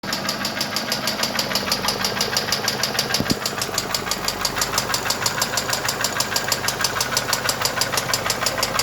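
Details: Mercedes M111 2.2 engine: sharp metallic knocking about three times a second, evenly spaced over the idle and standing out clearly; a distinct internal knock.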